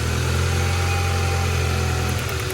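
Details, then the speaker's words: Honda Accord four-cylinder after its previously dead cylinder was brought back: a smooth, even low idle with a steady beat and no misses or shake, idle no longer hunting up and down. All four cylinders now fire, with no check engine light. "Holy crap, that thing runs a crap ton better. Steady idle too, nothing is shaking on this car."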